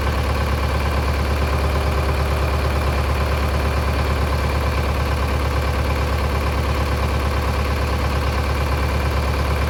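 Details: Mid-1960s John Deere 3020 diesel tractor running after sitting 5 years. Steady low diesel idle with an even beat around two per second, no misses or knocks. Healthy idle.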